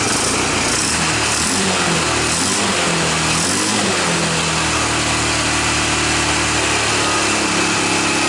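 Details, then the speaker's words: 1995 Honda ATV quad after starter solenoid replacement, fed from a temporary funnel to the carburetor: small engine buzzing at a high, steady speed with a busy rattly edge, no misfire or stumble; running normally. "Woo! All right, guys. We proved that's going to run."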